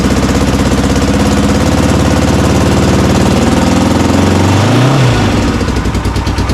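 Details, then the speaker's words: Honda CB450 Black Bomber twin, recently revived, battery meter attached (appears to charge poorly); fires up to an even thumping idle, blips cleanly up and down with no misses or knocks. Earlier suspected slight rattle, cam chain checked. "But you know what? That's okay. Start it up pretty easily. Seems to rev."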